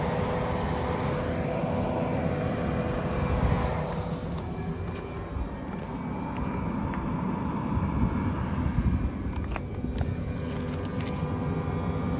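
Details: 2022 Tesla Model 3 rear-wheel drive with heat pump, defrost on, heard from outside on a warm day: steady whooshing fan rush with a low even hum, no knocks or squeals; normal defrost operation.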